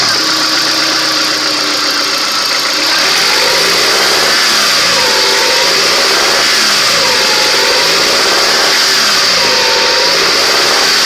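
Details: Honda Accord F22B engine revved up and down repeatedly with a regular knock beneath the rising and falling pitch.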